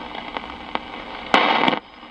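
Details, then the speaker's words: 1947 Delco R1410 AC/battery portable tube radio (RF stage, three-gang condenser) during an AM band scan: sharp crackling pops over a steady hiss with a half-second static burst; thunderstorms in the area are suspected as the cause. "and we got some thunderstorms in the area so that may put a damper on our dx abilities right now"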